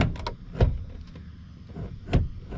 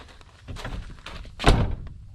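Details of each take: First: 1st gen Cummins crew cab truck passenger door: dull clunk and scrape on opening as the latch sits down on the striker pin, and it must be slammed to shut; door latch dragging from a sagging door. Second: 1st-gen Dodge Cummins crew cab passenger door after adjusting striker so door no longer rests on striker pin: one solid clean thunk, latches first time, no rattle or bounce; normal door closing.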